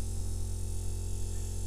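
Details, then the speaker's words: DIY electric trolling motor on a kayak running at low speed setting: steady low electric hum with no knocks or grinding, running normally. "humming right now if you can hear it"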